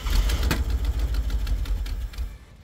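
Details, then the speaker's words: 1974 AMC Javelin from junkyard, sat about 20 years, first start attempting to idle: sharp fast uneven ticks over a rough low idle that fade away, from "typewriter" to "sewing machine" — ticking at idle, likely valvetrain. "I was worried it sound like a typewriter and it did sound like a typewriter but now I think she converted herself to a sewing machine baby"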